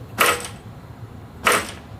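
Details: New StreetStrider, joint #3 spacer: the frame is lifted and dropped with two brief, clean clacks and no loose rattle. Normal joint with no rattle.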